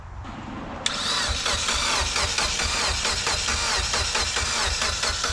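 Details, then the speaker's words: Mitsubishi Evo X 600whp build with new turbo cranking in a quick, even rhythm without catching, coil packs unplugged to prime oil into the turbo before first start. "the reason you got to do this how you don't kill the starter alright do it again alright stop we're gonna do it one more time just to be sure it's got oil in it"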